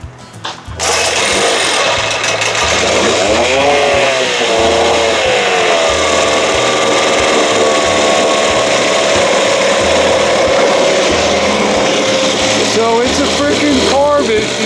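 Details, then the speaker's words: 1968 Evinrude 6 hp two-stroke outboard on choke, after gas was seen dripping and squirting: small buzzing motor whose beat stumbles and surges unevenly at steady speed. Erratic running, pointing to carburettor fuel delivery trouble. "something weird going on with that unbelievable unbelievable but at least and she sounds good"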